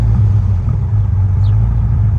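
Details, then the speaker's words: 1989 Honda Goldwing after carb sync, idling around 1,000 rpm, a little high: low, smooth, steady rumble, no hunting or hanging revs; carbs balanced, normal idle. "So ours is just fine. We are idling around 1,000, which is a little high for this."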